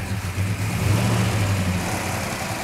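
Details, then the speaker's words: Engine running without its air cleaner while the air-fuel mixture is adjusted, oil light watched: deep, steady burble with even low rumble, no misses or knocks; normal idle. "he's adjusting the air fuel mixture on them allowing more air in yeah i mean it doesn't have the air cleaner on it too which doesn't sound bad sounds"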